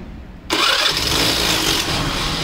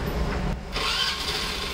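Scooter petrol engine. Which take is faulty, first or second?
first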